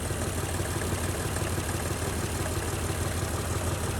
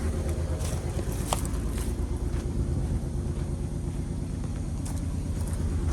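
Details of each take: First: Honda Ridgeline pickup that sat unused in the woods for years, first start: even, smooth idle with a steady pulse and no ticks or knocks; alternator still charging. Normal idle. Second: 2008 Honda Ridgeline V6 with 299,733 miles, a parts truck long abandoned in the woods, fired quickly. A low, lumpy idle with an uneven repeating stumble; a burnt valve is losing compression on one cylinder.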